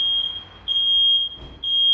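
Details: Second detector tested with smoke, not triggered by little smoke, then alarms; piercing high-pitched tone in long pulses with brief gaps, different sound from the first, working properly.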